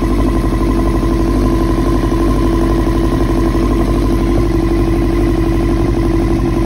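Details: 2000 Yamaha R6 inline four after diaphragm replacement and carb cleaning, which did not fix it: uneven, lumpy beat of about two pulses a second with a light clatter; it runs rough and the cause is suspected, not confirmed.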